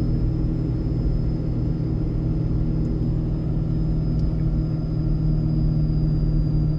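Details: Ford 6.7 Powerstroke with MPD compound turbo kit, towing its biggest load yet downhill in second gear at about 35 mph on third of four tunes, no service brakes: a deep, steady low rumble as the exhaust brake seems to hold back harder than stock. Normal exhaust brake operation.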